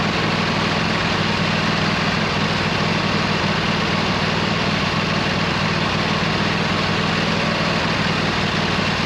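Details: 26 HP Kohler V-twin on a lawn tractor, idling just after fitting new OEM Kohler ignition coils to cure an intermittent one-cylinder misfire; loud, steady, even pulse with no misses, firing on both cylinders; not perfect yet but much improved.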